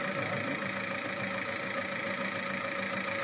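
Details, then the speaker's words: SEAT Altea 1.9 TDI 105 hp diesel, 175,000 real km, run on 10W-40 oil more viscous than specified: hard, steady knocking about three a second over the idle; internal engine damage from wrong oil. "sadece 175 bin gerçek kilometrede nasıl ses çıkardığını görüyorsun, neden böyle ses çıkardığını daha sonra anlayacaksın,"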